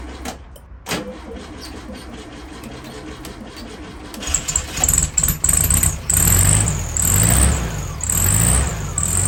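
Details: 1973 VW Beetle air-cooled engine, off the road about eight months, after reconnecting a loose distributor lead: quiet at first, catches around four seconds and settles into a steady, low, even chug, running cleanly.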